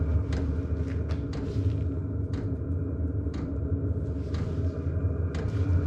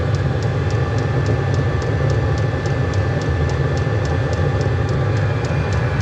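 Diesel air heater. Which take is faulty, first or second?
second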